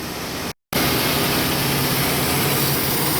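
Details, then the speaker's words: 2002 Chevrolet S10 4.3L with code P0138 and high fuel trims, idle: steady airy hiss heard down low from an intake vacuum hose leak; pinching the hose stopped the leak. "being I can actually hear it now once you get down here. I don't know if you guys can hear that hissing."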